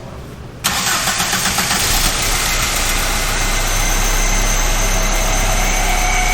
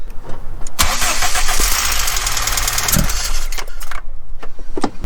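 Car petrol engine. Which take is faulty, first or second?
second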